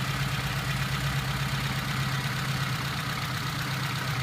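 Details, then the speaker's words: Suzuki (Zook) idling with a rough, gravelly whir over the rumble; battery not holding charge, fan belt very loose, alternator front spindle loose; alternator front bearing judged shot, alternator to be removed. "yep I can hear the front bearing in the alternator is shot okay alternator's got to come out"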